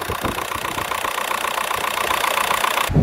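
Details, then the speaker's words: Golf IV GTI TDI 150hp first start after turbo replacement, held at idle without revving: even diesel clatter about 2.5 beats a second, steady, no whistle or surging; started instantly, no suspicious noise. "Elle a démarré au quart de tour. Oh, pour l'instant, aucun bruit suspect. Bon, c'est cool, elle a démarré direct, ça fait plaisir. Il n'y a pas de bruit suspect."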